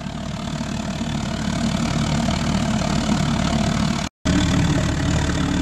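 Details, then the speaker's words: Homemade pot belly stove converted to a gravity-fed waste-oil burner with a small blower, running flat out: strong, even roar with no surging, popping or sputter, burning cleanly; normal full-power burn. "now that's what I call a pretty effective pot belly stove put a fan behind that and you're going to be able to warm up a barn or a warehouse let alone your Lounge room"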